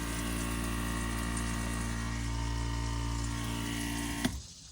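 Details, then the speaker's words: Solar-powered RV pump feeding drip irrigation from a rainwater tote runs with a steady low drone and thin hum, then a knock and it dies; water in the pump box, hose came off the pump outlet. "Uh-oh. That doesn't sound good. Oh no. Oh no. There's water in the box. I bet the hose came undone."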